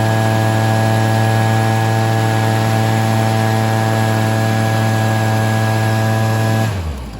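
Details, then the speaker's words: Stihl SH 55 handheld two-stroke blower/vac after tune-up and carb adjustment: steady, even high-revving drone at constant pitch, then dropping off at shutdown; running clean and healthy. "as you guys could see just needed a bit of a carb adjustment as well"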